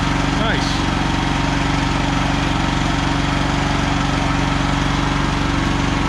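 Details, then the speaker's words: ETQ TG72K12 portable generator, about 14–15 years old with about 13 hours, unrun for 10+ years, after an oil change, new battery and new solenoid: starts and holds a steady, even idle chug with no misses or knocks; fixed, normal running. "nice okay okay she's uh fixed ready to uh get back in Action"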